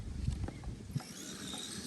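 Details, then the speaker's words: Traxxas X-Maxx with 20/50 gearing, running on a bash session: light, uneven rattle over the drivetrain hum that ticks along with the motor; rough spur gear with teeth damaged earlier when a motor mount came loose. "like a little rattle sound on there and that's that spur gear so the one i'm using right now it's kind of that ain't broken anything but it's kind of rough a little bit"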